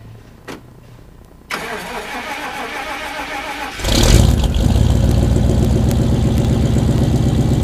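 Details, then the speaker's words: 1995 Chevrolet Suburban cold start at about 20 degrees F: starter cranks, engine catches and settles into a loping, uneven idle about four pulses a second, sounding like a cam; runs rough when first started cold. "hello out there cold day today about 20 degrees but we cold start the suburban kind of runs funny when it's cold kind of sounds like it's got a cam in it or something"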